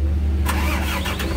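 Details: Isuzu Giga FVZ 285 PS truck diesel that would not start after a rollover. After the weak battery was dealt with via a jump or replacement, it cranks briefly, catches cleanly and settles into an even rumble with no misses.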